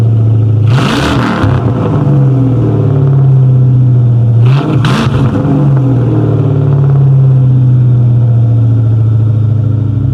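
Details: 1997 Mustang GT, 4.6 V8, 5-speed manual, which needed only an intake manifold: deep, steady idle burble with two crisp throttle blips rising and falling cleanly, no misses or rattles; runs perfectly.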